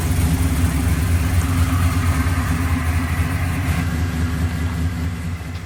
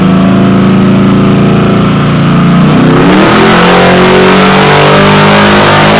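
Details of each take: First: Malibu V8 idling before work on its nitrous system; loud deep steady burble with no ticks or knocks, snappy and sounding good, healthy. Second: Warmed-up Malibu on a chassis dyno, first naturally aspirated full-throttle pull before nitrous, run to clean the plugs; climbs smoothly, then turns ragged near the top, breaking up slightly at the end. Dyno air-fuel monitor showed it lean.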